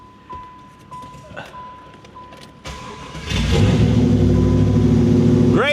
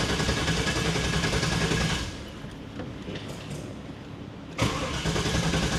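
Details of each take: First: 1995 Pontiac Firehawk, 5.7 LT1 V8 with six-speed T-56, revived after sitting 10+ years: quiet ticking, then it catches and runs loud and steady, rowdy because the rear exhaust is off; sounds healthy, coolant leak noted. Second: 1995 Pontiac Firehawk, 5.7 LT1 with T-56, sat over 10 years, after briefly running then quitting: even starter cranking, a pause, more cranking that never catches; owner suspects something shorted out.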